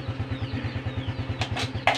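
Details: Honda Supra X 125 FI: steady thumping idle, then two sharp loud clunks on the shift; loud clunk with every gear change, sometimes not.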